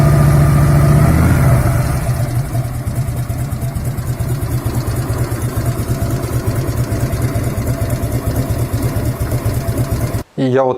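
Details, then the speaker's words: 1997 Harley-Davidson Road King Classic Evo V-twin after rebuild, at idle: loping idle with a light metallic rattle on each beat near the camshaft, appearing after 5–7 minutes warm and louder when hotter. "я завел мотоцикл начал на нем ездить у меня появился какой-то бряк"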